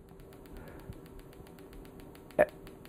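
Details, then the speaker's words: PEMF 100 electromagnetic pulser, high intensity (around 1,000 gauss), coil against the hand: sharp, evenly spaced clicks about six per second that settle down as intensity rises; normal coil discharge clicking. "And you can hear how that clicking settles down. I haven't initiated any contractions in my hand, but I can feel it like knocking in my hand."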